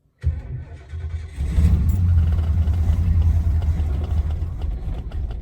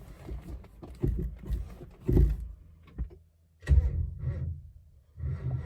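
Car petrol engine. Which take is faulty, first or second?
second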